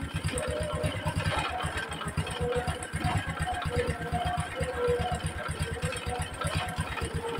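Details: Honda Supra X 125 after reassembly and an oil refill, following earlier replacement of the clutch bell and centrifugal clutch shoes: even, quick single-cylinder idle with no knock or rattle, smoother than before.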